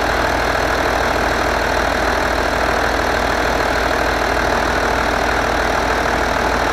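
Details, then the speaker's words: Skoda Superb Mk1 2.5 TDI V6 diesel, unused since March 2020, idling with the boost pipe completely off the intercooler (burst boost hose). Steady rough clatter, no obvious hiss; wrong air-fuel mixture. "And the pipe goes into the intercooler. Completely out."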